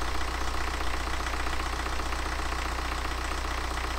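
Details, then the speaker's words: BMW N47 diesel, first start after a broken timing chain repair and engine refit, run briefly with no antifreeze in it: steady, even diesel clatter at idle with a firm low thrum and no misses or wobble; normal healthy idle. "run baby run I've got no antifreezer at a minute so we can't run it for too long but oh what about that sweet as a nut as well"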